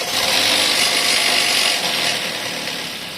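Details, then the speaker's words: Geely Coolray, BHE15-EFZ petrol engine idling after oil change and phaser valve cleaning: busy metallic rattling chatter over a hissy running sound. The noise is unchanged after the fix; poor-quality oil was suspected but the cause was found elsewhere. "Ну и конечно же вы можете подумать что звук пропал Мы всё сделали но нет всё осталось как и прежде"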